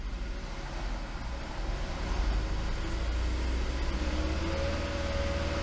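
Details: 2015 Ford Flex held at about 2,500 rpm with headlights on during a charging test: steady, even engine hum without knocks or whine; alternator reads normal 14.57 V with low ripple, healthy charging.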